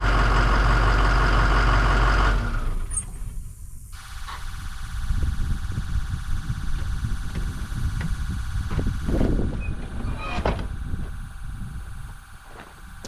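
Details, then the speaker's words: Skoolie bus diesel engine running: steady even low rumble, no knocks or misses, light beeping in background; sounds good and strong, normal running. "you may have heard that bus run it sounds good um it's a good strong diesel engine"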